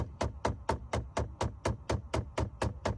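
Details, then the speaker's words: Under the dash: steady hollow knocking, about two per second, when the temperature is set to cold, silent on hot. The blend door actuator gear is stripping at the cold end stop; the new actuator is silent. "you hear that that's a temperature blender actuator okay now I'm going to hot no noise back to cold yeah that's how it making noise because when it go too cold all the way to stop and the gear inside the actuator is dripping out"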